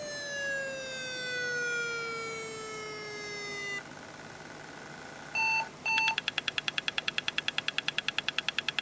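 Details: Very old laptop hard drive powered on: a falling whine as it tries to spin, then steady rapid ticking about twice a second; abnormal spin-up noise from a failing drive.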